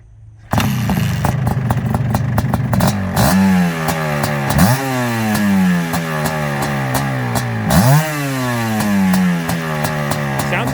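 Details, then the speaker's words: Suzuki LT500R Quadzilla 500cc two-stroke after bumping up the pilot jet, started cold without choke; crisp repeated blips climbing and falling cleanly; sounds much healthier, normal start and rev. "good sounds a lot healthier"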